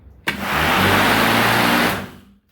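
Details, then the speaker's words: Black & Decker MM875 electric lawn mower after replacing the stripped plastic blade washer (motor ran but blade didn't spin): motor snaps up to speed, smooth even whir, coasts down cleanly; normal running. "It sounds normal. It sounds like everything is working once again."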